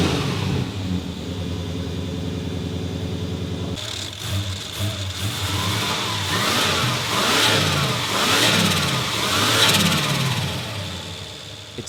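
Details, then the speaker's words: Ford Fairlane turbo V8, rebuilt after a dyno failure, cold start while still untuned and a bit smoky: brief crank, catches, then repeated sharp revs settling back strong and even; normal start and rev. "a bit smoky on cold startup due to being untuned. Nonetheless, it sounds awesome, and it's time to drive it around the"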